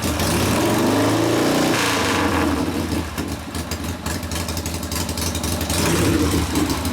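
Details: Rebuilt 1972 Harley Sportster XLCH Ironhead after case repair, restarted with air cleaner refitted, good oil pressure: loose loping twin beat with a throttle blip, settling to steady idle slightly high, to be lowered after break-in; normal idle.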